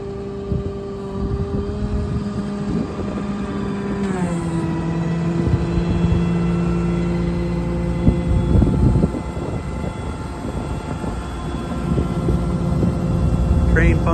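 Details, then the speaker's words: 2009 Peterbilt 335 utility truck with an Autocrane 10006H 10,000 lb hydraulic crane and hydraulic air compressor: engine drones steadily, pitch settling lower as the hydraulics take load, no whine or knocking. Normal crane operation. "winch cable looks like it's in Nice condition this crane functions as it should"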